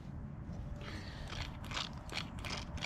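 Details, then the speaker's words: Original starter motor removed from an 1987 Yamaha Warrior 350 ATV in no-start diagnosis, spun by hand: faint uneven ratcheting rasp with light internal clicks, otherwise quiet; some internal gear noise, cause unclear, before replacement starter fitted. "It's actually really quiet. Oh, there's a little noise in there when I spin it."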